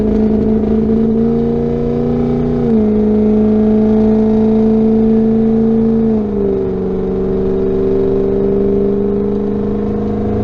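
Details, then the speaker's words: 2005 Ford 6.0 Power Stroke diesel after Sea Foam treatment, Bully Dog tuner in performance/tow mode, accelerating hard: strong smooth pull, steady drone stepping down cleanly at shifts; slight hesitation only at very start, then normal. "it hesitated a little bit I heard it at the very beginning and it straighten itself out immediately"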